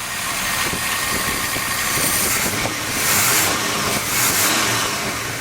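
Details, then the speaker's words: Dually truck after big block V8 swap, running after first start: steady even idle with constant hiss over it, no knocks or misses; normal idle. "all right you don't sound too bad"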